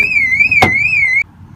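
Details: BMW E46 with 5-speed, key fob not working though it worked the day before: a wavering high siren wails for about a second with a door thunk partway through. Alarm went off when the door opened, cause unknown.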